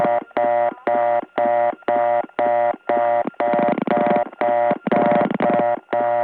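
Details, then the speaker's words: 1979 Gainesville GA step tandem, level 88 dialed. Fast reorder tone about twice a second, with other callers' dial pulses and talk audible over it; the tone gets softer when a caller joins and louder when they hang up. "the reorder tone actually gets softer when someone comes in louder when they hang up"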